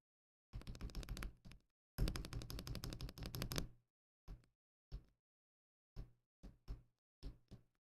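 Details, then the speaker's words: Akko ACR Pro 68 backspace key during stabilizer tuning: quick bursts of key clacks then single presses, each with a hollow rattly tail; stabilizers need more lube. "So they could use some more lube. I can definitely hear that. Like immediately, that's the big thing I hear."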